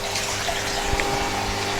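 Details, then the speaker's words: Lay-Z-Spa Palm Springs Airjet (Bestway) hot tub filter pump running after the pump water leak repair: steady even hum under rushing water with no rattle or surging; good flow and no visible leak. "looking in we're getting a good flow of water so the pump is working well and i can't see any water coming out"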